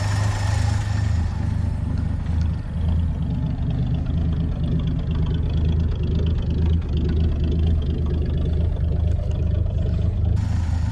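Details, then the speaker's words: 1966 Chevrolet C30 truck, pre-restoration, idling with the choke just taken off: a low, steady throb at an even slow idle with no misses, knocks or ticking over the exhaust note. Smooth, quiet and healthy. "Got the choke off now. Smooth and quiet."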